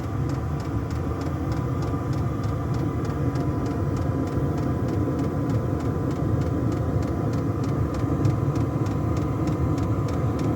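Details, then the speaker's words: Diesel air heater in a black box heating a house, running on kerosene on a -3°C icy morning, fed from a 240V-to-12V 30A supply; steady burner roar, fan whir and fuel-pump ticking about twice a second; normal running. "Usually get a little bit of condensation to start with, and then that should clear. And there's the heater running."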